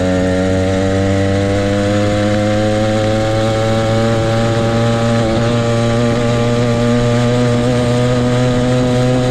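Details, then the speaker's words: Motorized bicycle ("the Mule") small two-stroke kit engine, brought in for a no-start; loud, steady buzz at even pitch without stumbling or misfiring; runs cleanly before teardown, which later found fuel in the float and a thin clutch pad. "all right sounds good"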